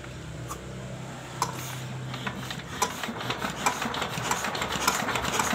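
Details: Restored old S1100 single-cylinder diesel retested without oil priming: light uneven ticks and knocks over a low hum, runs steadily on its own; rough gear set kept in service for now, not replaced.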